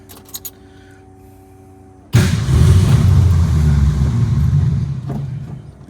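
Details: 1962 Ford Falcon with carburetor and manual choke set half on, electric fuel pump: catches with a sudden roar on a hand-primed bowl, runs rough a few seconds, then dies; no gas delivered, pump not priming, fuel starvation.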